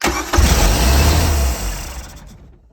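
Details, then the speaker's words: 1995 Larson 174 SEI boat with a 3.0 MerCruiser Alpha One Gen 2, sitting for 3 years, after a new starter: brief cranking, then it fires right up with a deep burst and settles to idle. Normal start. "Oh, let's go. It runs. Sitting for 3 years. Fired right up."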